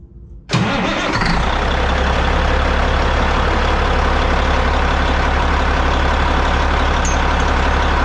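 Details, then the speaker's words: Caterpillar 3406E diesel in a Peterbilt 379, first start after installing a Borg Warner turbo and FullTilt exhaust manifold, checking for leaks. Sudden catch, then loud steady diesel clatter settling to an even idle, no misses or knocks: normal start and idle. "About to fire it up. Make sure everything's going to do what it's supposed to do. Don't have no leaks."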